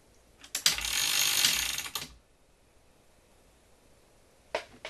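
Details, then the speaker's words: 1978 RCA VCT-200 VCR after repairing a broken gear with epoxy and band: short, even whirring gear and ratchet run, then second burst, no grinding or slipping; transport sounds smooth, though the gear later broke again. "huh Oh sounds smooth enough to me"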